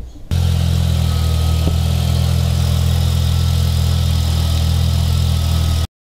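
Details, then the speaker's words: 1988 Mazda RX-7 FC3S rotary idling with a loud, deep, raspy drone; serious exhaust leak making the cabin loud and smelly, later searched for by pressurizing the exhaust with a vacuum and soapy water. "poor old girl has a pretty serious exhaust leak to make sure hmm pretty loud and smelly inside so here's a clip so you can see what I mean"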